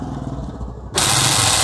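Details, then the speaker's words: Hyundai Eon left-hand door central locking motor during lock/unlock: short harsh buzzing grind under a second; broken motor bracket lets the rack-and-pinion slip, fixed with cable tie. "इसका reason ये है, ये इसका bracket टूट गया है। इसके ये सपोर्ट रहता है जो ये स्पेस बढ़ गया है इसमें। ये रैक एंड पिनियन अरेंजमेंट है, और वो स्लिप मार रहा है।"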